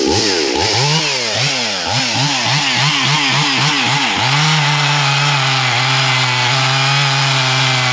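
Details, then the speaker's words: Husqvarna 55 Rancher chainsaw after carb repair, chain sharpening and new air filter and plug, cutting hickory: high two-stroke howl bogs and recovers with each stroke, throwing good-sized chips. Normal cutting under load. "it's got some good looking chips it's not just a fine sawdust so that's a good piece of uh Hickory actually so that's uh cutting well"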